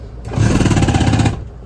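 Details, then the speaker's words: 2023 Thor Aria RV electric toilet on a 12 V battery at 11.6 V: on flush the solenoid lets water in, and the macerator gives a rough, rattling, coarse pulsing buzz. It sounds loose in its mount underneath. "press the button solenoids working it's letting water in macerator sounds like it's loose and under there while it's doing it"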